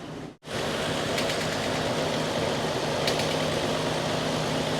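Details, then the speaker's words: 1969 Chevy C10 V8 at idle after first start, thermostat not yet open, alternator charging at 13.9 V: steady, even idle with a faint alternator hum on top, no knocks or misses; a healthy, good-running engine. ">> That's one sweet running truck. >> Look at there."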